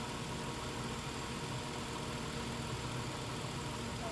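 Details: 2017 Nissan Altima after replacing the CVT oil pan and strainer to cure a whine on start and acceleration: engine note stays even and low with no rising whistle or whine; transmission quiet and healthy.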